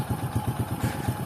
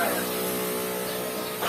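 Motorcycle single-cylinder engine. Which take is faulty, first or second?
second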